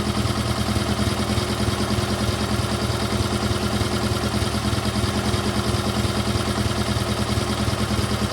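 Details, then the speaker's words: GT/18 after ignition rebuild, no choke, low idle: steady putter about three beats a second; runs better than before, idle needs carburetor tune. "There we go. Now she just needs a carburetor tune and she'll be good to go. Runs a lot better than it did, I think."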